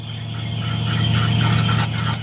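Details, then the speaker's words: 1979 Chevrolet K20 Custom Deluxe square body truck at cold start: a shrill, steady high squeal from the alternator pulley rides over the engine rumble, worse than before, then clears up. "now I've got a alternator pulley squealing right now"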